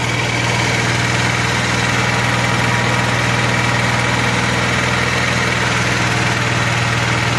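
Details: Honda EXW171S gas welder/generator idling after fuel system restoration, fuel system believed not leaking. Steady, even low thrum at constant idle without misses or knocks; running smoothly.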